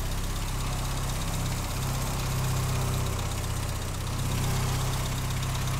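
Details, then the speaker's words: 1959 Triumph TR3A idling during a pre-purchase inspection: low, uneven four-cylinder idle with a light buzzy rattle on top. The rattle goes away when a hand is placed on the bonnet, so it comes from the bonnet panel vibrating. "getting a little Radley okay and here when I put my hand on the bonnet that route does go away"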